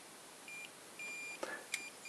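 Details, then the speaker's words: Xiaomi 365/Ninebot-type electric scooter controller with the motor hall sensor plug deliberately disconnected, beeping at power-up. High beeps, one long and six short, give error code 16, a motor/hall sensor fault. "oui les bips très l'on attendait 2 3 4 5 6 4 donc apparemment c'est le code 16 donc un très long et 6,6 bip donc 16 octobre 16 c'est problème de moteur"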